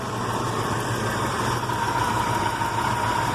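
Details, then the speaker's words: Ford 460 V8 with freshly rebuilt Holley 4180 carburetor running rich, slow uneven loping idle near stalling, about 14 inches of vacuum; vacuum leak believed fixed; idle speed set too low. "so definitely not good but it's running really slow so I'm thinking I probably don't have a vacuum leak anymore"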